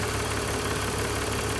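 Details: 2005 BMW 330i ZHP back running after sitting 15 months, oil changed, air meter clips refitted: smooth, even idle with a steady low hum, no ticking or knocking, temperatures good, oil cooler not leaking; normal idle.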